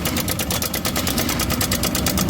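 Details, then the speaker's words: Honda Vario 125 scooter at low throttle: fast sharp metallic clatter about eight ticks a second over the engine note; loud engine noise, cam chain (keteng) to be checked, source not yet known. "Oke, ini motor Honda Vario 125. Kedengaran suaranya jelas berisik."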